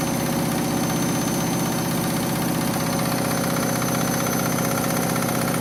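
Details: Washing machine final spin after a very sudsy final rinse, load sensor setting spin speed; loud steady roar with rhythmic thump about twice a second, excessively noisy spin, cause not identified.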